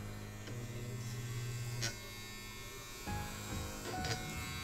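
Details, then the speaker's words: Modified Andis Outliner trimmer with sharpened blade, cutting arm hair: steady low even hum shifting as blades bite; cutting really good. "cutting really good. So there we go."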